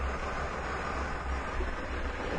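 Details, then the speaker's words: 1997 Mercury Villager petrol engine idling smoothly with a steady, even low hum and no misses after repair of long-standing rough idle and stalling; fuel trims returning toward zero, EGR valve suspected if problem recurs. "ah, check it out. Engine sounds really good now, and we can see that we're bringing our fuel trim back up."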